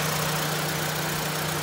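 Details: 2005 Mitsubishi Global Lancer, idling with the A/C on after the low-pressure A/C line was wrapped in insulation: steady, even idle hum with constant low tone and fan rush, no misses or knocks; engine idling normally.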